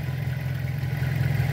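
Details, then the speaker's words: Pointer 1.8 after bridging two terminals with a wire in place of the missing part: even, low hum with a steady rhythm and no stumbles. The shaky idle is fixed. "¿Ya vieron, amigos? Ya se le quitó esa tembladera. Dejen ponerle bien. Hay mejora bastante, hasta se oye el motor cómo se estabiliza."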